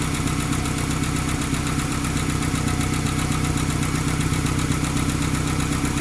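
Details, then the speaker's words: 1995–2001 Ford Ranger 2.5L four-cylinder just restarted after a timing belt replacement: steady fast valvetrain ticking over a lumpy idle, much louder than the slight tick it had before the job; likely dry lifters until oil reaches the top end. "This one had a slight tick, nothing like this."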